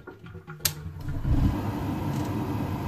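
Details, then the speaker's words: Grant / Worcester Bosch Heatslave boiler, Sika flow switch tested by wiring it through temporarily: one crisp click as the switch operates, then the burner catches with a low steady roar; switch and ignition working properly. "that and then it clicks because working as it should do it then fires up the burger as well and then operates the pan"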